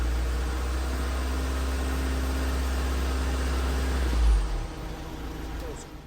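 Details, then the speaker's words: 2016 Ford Transit Custom 2.2 TDCi diesel just after high-pressure fuel pump replacement: it starts well but idles slightly lumpy after a brief rev. This is likely residual air in the fuel system that should clear with running. "it's running a little bit lumpy at the minute it might do just till we um just till it gets all the air out the system if there's a little bit left in there"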